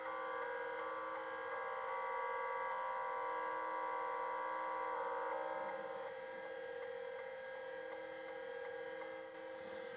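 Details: Plexus P/20 1985 UNIX computer, large multi-head hard drive being scanned with many bad blocks listed: steady spindle hum with rapid, even seek chatter about four steps a second as cylinders 0–753 are read; normal, healthy seeking.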